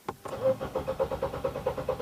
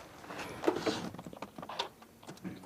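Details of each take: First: Nissan X-Trail with intermittent hard start: starter cranks evenly at about eight pulses a second without catching, a long extended crank; check engine and VDC/slip lights on; P0340 cam sensor circuit fault. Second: Nissan X-Trail with intermittent hard start and P0340 cam sensor circuit code, after reseating cam sensor: brief crank then clean catch and smooth even idle; fault traced to faulty cam position sensor signal.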